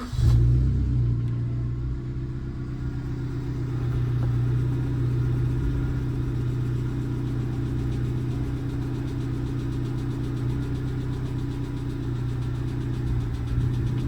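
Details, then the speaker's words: Suzuki Swift Sport ZC32S (M16A) at about 97,650 miles, cold start: the petrol engine settles to a cold idle with a light, clappy tick. The owner considers this usual for the engine and says it is no worse after 4,000 miles. "And it sounds as it usually does on a cold start. They're all a bit clappy / ticky on cold start."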